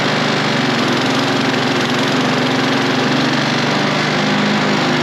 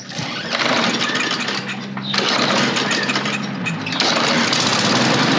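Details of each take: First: Toro Recycler self-propel mower with a single-cylinder engine, before carburetor cleaning: won't restart on its own and runs steady and loud only after a shot of starting spray; fuel delivery suspect, carb then cleaned. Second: Toro Recycler self-propel mower, Briggs and Stratton engine, after removing stick jammed in drive: catches after a couple of short bursts, then steady even drone with no surging or knocking; running normally.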